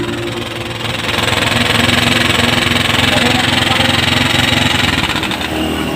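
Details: Small single revving with busy fast metallic ticking about three per second like loose valve gear; cause suspected, not confirmed.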